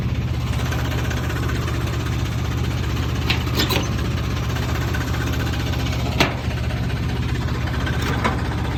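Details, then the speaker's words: 1971 Jeep CJ5, Buick Dauntless odd-fire V6, just bought: lumpy, uneven low idle with occasional loose metallic clanks, tractor-like; owner asks if normal, cause not found. "Is this what it's supposed to sound like? Is this the odd car? There's that clinkity clank. Something that shouldn't be clanky clanking."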